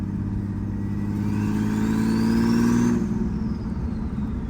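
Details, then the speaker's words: Turbo BMW E36 under acceleration, still burning oil with oil-soaked plugs cleaned; engine pulls hard with rising turbo whistle over exhaust drone, cuts cleanly on lift-off; hitting boost, normal turbo acceleration. "Car's hitting boost. It sounds good"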